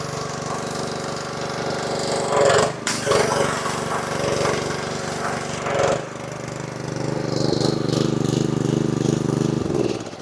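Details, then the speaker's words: Honda GX190 pressure washer after carburetor repair, pump replacement, new hose and wand: steady small single-cylinder engine note at even speed with brief dip midway; runs smoothly, normal running. "Well, that might be the best $150 I've ever spent. Seems to run super well."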